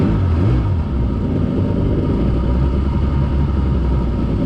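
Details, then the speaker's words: Refurbished 1989 Jet Mate with a new, bigger motor, started on the water after smoking at startup: a deep, steady rumble with an even beat and no knocks or misses. It is idling well. "I think it's idling good."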